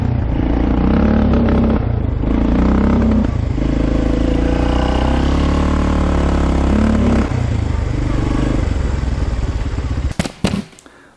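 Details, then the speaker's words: 1995 Polaris Magnum 425 4x4 ATV, single cylinder, ridden after fuel line replacement, recorded on GoPro: engine climbs then flattens and sags, bogging as soon as full throttle is applied; cause not yet known. "We're riding this thing and it just bogs as soon as you hit full throttle. You like push the throttle all the way down and it just falls flat in its face."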